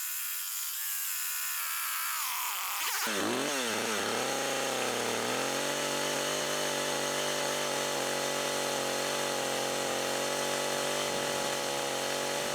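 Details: Husqvarna 562XP AutoTune chainsaw from a junk pile, long unused, cutting after 30-40 seconds of part-throttle self-tuning, cold fuel and oil around 15 degrees: climbs quickly to a high steady scream and holds it evenly under load, no bogging or surging.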